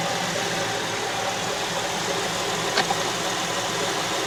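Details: 2006 Honda Ridgeline after topping up low power steering fluid; the rack and pinion leaks slightly: a steady, even engine idle with no whine, with only a single light click partway through.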